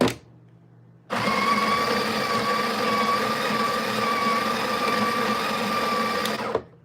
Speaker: so here's the Porta filter we're going to go right in and grind the beans it's going to be a little bit loud